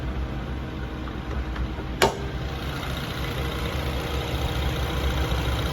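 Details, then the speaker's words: 2014 Mazda2 1.5 Sport, original engine, A/C running: starts easily, quiet even idle with a steady low hum and only the cooling fan whirring above it; normal healthy idle. "ครับสตาร์ทง่ายเสียงเงียบนะครับแอร์เย็นเจี๊ยบเครื่องเงียบนิ่งได้ยินแต่เสียงพัดลมนะ"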